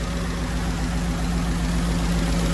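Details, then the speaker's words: 1936 GMC truck with aluminium-block 5.3-litre LS V8 swap (Delmo kit), first start after 60 years, on jack stands: steady, even low rumble at idle with constant beat, no knocks, misses or rattles; started right up, healthy idle. "Well, she started right up."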